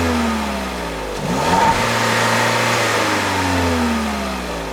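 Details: 2021 Peugeot 3008 1.6 THP Allure, 1.6 L EP6CDT turbo petrol (165 hp), 6-speed automatic: clean idle, then a quick rev rises and falls back smoothly with no knocks or misses; healthy normal free revving.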